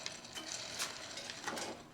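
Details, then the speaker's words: 1940 Farmall M differential roller bearing spun dry by hand, no lubricant: gritty, crackling, noisy rattle from rust pitting on the races; judged untrustworthy for reuse. "Pretty noisy. You can hear it. Now granted, there's no lubricant in there, so it's going to be a little noisier than if there was a light coating of grease in there, but I don't trust it with all the pitting that's in here."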